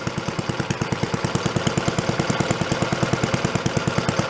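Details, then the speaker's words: Antique Briggs & Stratton engine on a water pump, about 80 years old and sitting 50–60 years, repaired, throttle spring set for about 3,300 RPM but run slow: even single-cylinder thumping about three beats a second, steady. Normal slow running. "Sounds good. Crap on the best side. Going pretty slow. Gonna stay going."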